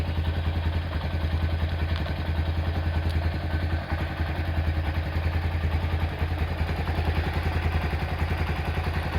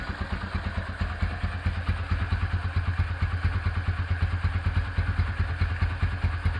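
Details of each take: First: Honda Tiger Revo engine, hot (quiet when cold): fast light ticking from the cylinder head over the engine beat; oil seepage is also present. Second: Rebuilt Honda Tiger Revo single-cylinder engine at idle after restoration (carburettor also refreshed, new oil cooler pipe): even, steady thump with a slight uneven puff; carb hisses a little due to BRT camshaft, otherwise runs normally.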